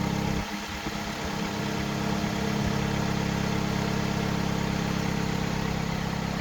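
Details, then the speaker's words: Dodge Avenger idling after a new battery and battery cable end for an intermittent no-crank, headlights switched on as load: steady, even low hum that holds its note, charging well. Normal idle. "Turn the headlights on. There you go. Yeah, charging good."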